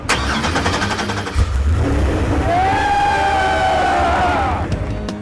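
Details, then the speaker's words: Freshly swapped LS7 in the Crusher Camaro, first start on a trade show floor: brief crank, catches cleanly, revs up and falls back to a steady even idle; healthy first start. "I got to tell you, the second that thing fired up and ran, a huge weight was lifted off me because if that engine wasn't going to run, it was not going to be pretty."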